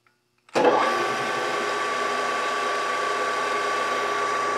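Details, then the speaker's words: Brown & Sharpe 618 Micro Master surface grinder after topping up the hydraulic reservoir with Mobil 1405 oil: the motor settles into a smooth, even hum with no bubbling or churning; the hydraulic pump runs quietly. "It's not bubbling, churning like it was before."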